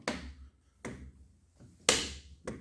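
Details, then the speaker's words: Lenovo Y570 laptop with badly damaged hinges, one coming off: four sharp dry cracks and crunches as the lid moves. "как петли хрустят, трещат."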